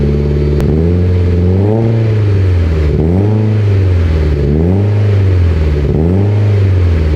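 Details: Mitsubishi Evo X, 800whp build, first start of a fresh engine with Greddy catback: deep steady idle and several clean throttle blips rising and falling smoothly, no knock or misfire; runs healthy, only wastegate and evap codes logged.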